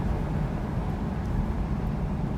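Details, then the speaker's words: 2020 Mustang GT with Ford 10R80 10-speed automatic at light throttle, skipping gears (e.g. 1-3-4-6): soft, even drivetrain hum with no clunk, slip or flare between gears; normal light-throttle upshifts. "so skipping gears is completely normal as well just so you guys know under heavy throttle it'll go through each gear"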